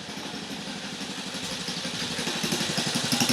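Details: 1950 REO engine, freshly revived, carburetor turned down with a screwdriver to a very low idle (these reportedly idle real low): slow, even putter about four beats a second, firming slightly; idles very low but steadily.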